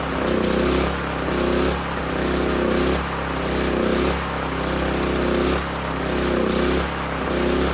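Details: Old 5500 W gas generator after carburetor and oil work, with some diesel mixed in the gasoline and little fuel left; the engine surges and sags under once a second instead of holding governed speed, choppy running, cause not confirmed.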